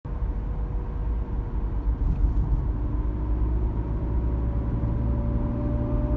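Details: BMW E36 driving with cold car: deep road rumble with whining howl from about 25 mph/40 km/h, from aftermarket Febi driveshaft centre support bearing under 1000 km; faded after a few km; genuine BMW part fixed it.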